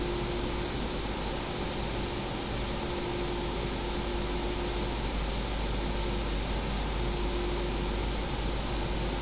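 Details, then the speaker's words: PCcooler DT360 ARGB liquid AIO with the pump at 100% and the radiator fans on the high profile, under Cinebench load above 3000 rpm: an even rush of air with a soft, steady hum and no rattle; normal. "There we have it. That's how it sounds like when it's at load."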